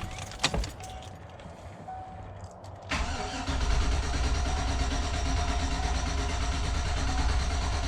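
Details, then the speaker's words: 2004 Chevy Tahoe flex-fuel, crank no start: steady low churning crank that never catches, no fuel pressure at the port and no pump noise; bad fuel pump in the mid-mount tank. "crank no start no fuel pressure at the Port no pump noise so then we go to the next step"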